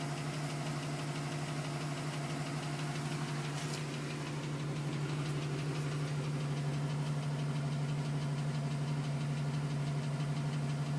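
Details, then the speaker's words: 2010 GMC Sierra with 2000 miles, cold idle: light even tapping around three per second over the low hum, still at 4 minutes, stopped at 5:42 as temperature came up; owner suspects piston slap, unconfirmed. "Still tapping at 4 minutes. Tapping finally stopped at 5 minutes and 42 seconds."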